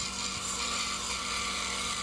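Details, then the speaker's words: Band saw cutting clear pine in a straight cut with no pressure or curves: a steady, even, high-pitched rasp of the teeth, with no low bearing whine from twisting the blade. The consistent, even tone indicates a normal cut. "what you want to make sure you do when you hear that sound is be consistent you want a a consistent even tone and then you'll know listen to that that was it that was no pressure no curves"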